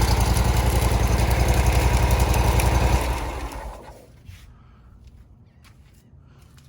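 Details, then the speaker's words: Exmark Radius 48-inch mower, 167 hours, after cleaning the carb and replacing fuel and air filters, weak battery: steady even thumping for about three seconds before shutoff; runs normally. "Not enough cranking amps, but definitely runs."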